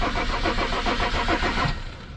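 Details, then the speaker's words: Mercedes E 300 turbo diesel (W210) that cranks but won't start: slow, labored cranking at about 105 rpm with evenly spaced compression pulses, never catching. The battery measures 11.8 V and sounds weak, possibly too weak to start the car. "battery sounding kind of weak um I mean maybe it's too weak to start the car definitely sounds like the battery's weak that could be an issue"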